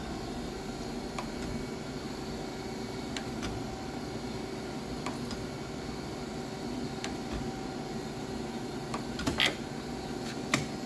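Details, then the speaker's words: Steady, even hum with faint occasional ticks as the table strokes on a Willis 818-3A surface grinder running its automatic down-feed cycle; normal operation. "now this is going to start the down feed cycle so we'll get to the end of the stroke"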